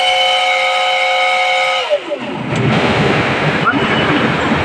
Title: 160 TR water cooled chiller compressor abnormal sound detection.